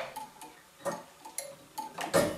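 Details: Gents waiting-train tower clock mechanism (circa 1918) driving a tower dial: light, uneven ticks and clicks as the master clock signal restarts the stopped train; normal pulse-driven operation.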